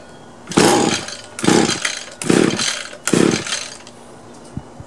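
Four pull-start strokes about a second apart, each a short rasping burst that dies off with no catch; trimmer cranks but won't fire. Cause suspected, not confirmed.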